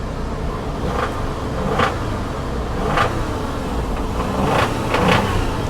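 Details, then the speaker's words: Salvage auction car engine, possibly long sitting, under light throttle with sharp knocks through low rumble; it has a rod knock. "nope nope nope we're gonna end that one right there yeah it's it's got a rod rod"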